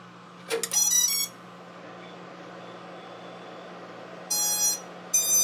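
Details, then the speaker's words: WP17 FPV drone build, ESCs powered up after wiring the motors: short high chirps, a rising tone sequence then two confirming beeps; ESCs powered, armed and receiving signal, normal startup tones. "a beautiful noise. So we've got our ESCs connected. They powered up properly. We got the tone out of it, so we know that the ESCs are good to go and they have signal"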